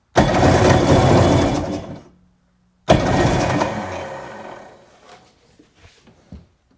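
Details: Sea-Doo engine after carb line repair and clamping, two bursts of fast starter cranking about two beats a second with no catch; lots of fuel coming out, compression check next; cranks but no start.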